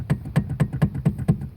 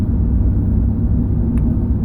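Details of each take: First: 2005 Chevrolet Silverado 2500HD steering column, rattling about 10 years over bumps and slow turns, intermediate shaft already replaced without fixing it: dull hollow clunks as the shaft is rocked by hand showing heavy play; worn steering column bearing. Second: 2005 Chevrolet Silverado 2500HD test drive after replacing the steering column bearing (intermediate shaft swap earlier hadn't fixed it): steady road rumble over spots that used to rattle, no column rattle or clunk; fixed after about 10 years.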